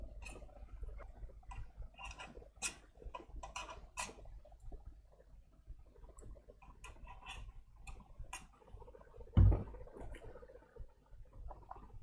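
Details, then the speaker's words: HP PS-4241-1HD power supply, electrically working: irregular ticking and clicking over a low hum with one louder knock; seized, sticking cooling fan. "As you can hear it, it is making noise. We need to check the fan."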